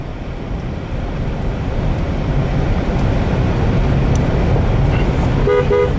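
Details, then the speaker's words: Horn check on a 2001 Pontiac back on the road at 169,792 miles after sitting in a barn: road and engine rumble, then two short, strong horn toots; horn works normally. "horn works I should have known that when she scared the crap out of me huh"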